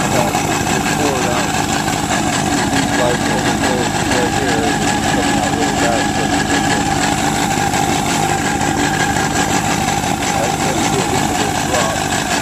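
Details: 2003 Yamaha RX-1 1000cc four-stroke snowmobile started after carburetor cleaning and reassembly: engine catches and settles into a steady, even idle with no misses or surging; carbs running cleanly.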